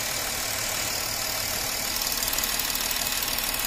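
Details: Porsche Cayenne 3.0L TDI diesel idling steadily with an even, light clatter after the misfiring, knocking fault was fixed by servicing the injectors. Injector return flow is now restored, and there is no knock, vibration or misfire.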